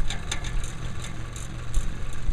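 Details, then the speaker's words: Roof turbine ventilator (whirlybird) spinning fast in the wind: steady low hum under a rhythmic whooshing sweep; lack of lubrication, bearing grease gone gummy and needing maintenance. "Can you hear that hum it's making? The same thing, it's spinning so fast."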